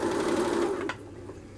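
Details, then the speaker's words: Upholstery sewing machine run by pressing the electric foot pedal, which completes the circuit and sets speed: steady motor hum with a clean even whir for about a second, then eases off as the pedal lifts; runs normally. "The placement of the foot pedal should be right in front of you, and I've turned the machine on, and as I push down it completes the electrical circuit, and you'll be able to hear the machine working."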